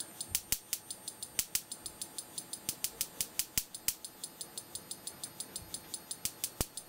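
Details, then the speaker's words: Simplex 35mm cinema projector xenon short-arc lamp ignitor on the bench, step-up converter pulsing at roughly 300–500 Hz: sharp, dry snaps about four to five a second with uneven gaps and skipped beats; the spark gap fires unreliably at only about 8 kV. "you hear the pulse frequency of the stepup converter sounds like maybe 300 or 500 Herz definitely we're not getting reliable uh firing on the spark gap we're only getting maybe eight kilovolts out of"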